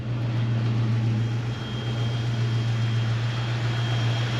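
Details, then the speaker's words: 1970 Ford Mustang with power steering and brakes, just started, oil pressure rising, alternator working: smooth steady low idle hum, no ticking, knocking or misfire; runs nice and smooth, normal idle. "As you can see, it's not making any kind of crazy noises. It sounds good."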